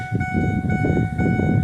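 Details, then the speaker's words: 2007 Ford F150 idling: a bright chime keeps repeating over a low idling rumble, the unbuckled seat belt warning. "Oh my god, this thing is doorbell. These ding dongs are noisy. Annoying."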